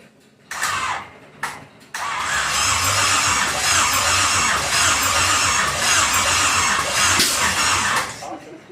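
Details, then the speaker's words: Pontiac 350 V8 in a 1950 Pontiac gasser with 6-speed, first fire-up with headers on, fuel in the bowl: starter turns it over evenly about six seconds, never fires; no start, ignition timing 180 degrees out, battery needing a charge. "Might be a little off on the timing, I don't know."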